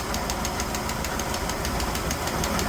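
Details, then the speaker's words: 1969 Chevelle idling with the valve cover off: a light sharp tick about five times a second over a steady idle, traced to a loose rocker arm nut sitting higher on its stud. "That's the one right there, huh? That's the one that's tapping? Yeah. Oh, is it? Oh, yeah, it's loose."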